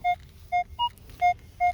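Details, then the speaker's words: Minelab Equinox 800: five short beeps in two seconds, mostly one mid tone with one higher note. This is a clean repeatable signal with a bouncing VDI number; the target was a dime about eight inches deep. "so now we got a repeatable signal here you can see the vdi number bouncing back and forth there that's okay normally there's some people that would pass that up because of that"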